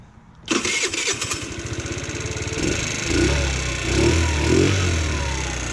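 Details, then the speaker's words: GY6 scooter after its ripped-off performance air filter was clamped back onto the intake. It cranks briefly, catches and settles into a steady, even idle: a normal start and idle. "Yep, there it goes. Cool. Now it's working really good."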